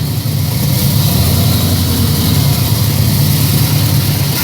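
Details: 1962 Chevrolet Impala with a freshly built 283 V8, about 500 miles on it: fires right up and settles into a strong, steady, even idle with no knocks or misses, healthy.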